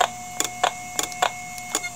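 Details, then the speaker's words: IBM "DeathStar" hard drive heard through an electromagnetic telephone pickup coil: sharp clicks every quarter to half second as the heads return to the stops and retry. The spindle motor dips, slows and tries to return to speed each time; the drive can't load its microcode and is failing. "so that's the heads moving back to the position back to the stops and then trying again you can also hear the motor every time it dips a little bit that's the motor slowing down resetting and coming back up to speed or at least trying to get back up to speed"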